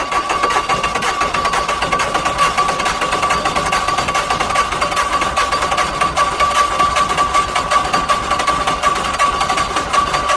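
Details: Hesston 620 swather diesel after sitting about 10 years, just started without ether; settles into a steady clatter with a faint whine above it, running evenly and healthy.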